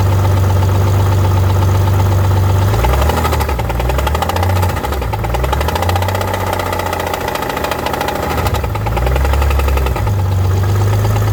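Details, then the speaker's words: BMW E46 with a fully rebuilt engine whose timing the owner can't set correctly: above 2000 rpm, an irregular knock of about three beats a second that rises and thickens as revs climb; cause not confirmed. "right now the problem is on RPM over 2000 this is what it exactly sounds like and the faster you go the more more of this it sounds like so weird"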